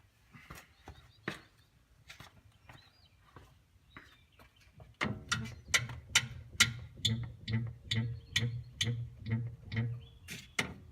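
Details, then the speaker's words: Car rear 034 Motorsports sway bar end link, two weeks old, bounced by hand while parked: short chirping metallic squeaks per bounce from the bottom spherical bearing, squeaking since rain; worse when driving; PB Blaster spray makes it stop. "you can hear a little bit of the squeaking it's much worse when you're driving because I simply can't put enough force on the car to get it to squeak as loudly as it does while you're driving"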